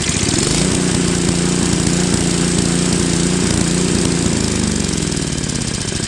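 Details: Craftsman Trac-Drive snowblower, Tecumseh Snow King 5.5 hp 195 cc engine, carb cleaned after a year's storage, leaking back gasket: low-idle chug whose pitch wanders up and down; hunting at idle, later fixed with idle screw adjustment.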